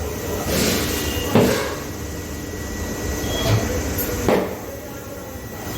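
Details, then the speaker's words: Kawasaki Z900 fitting new Michelin Road 6 tyre: over quiet background, a few sharp pops a second or more apart as the bead snaps onto the rim seat while inflating; normal tyre bead seating. "Okay. You will get to hear the bang now."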